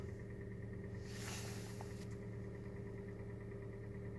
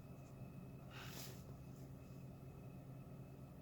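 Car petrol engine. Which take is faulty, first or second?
first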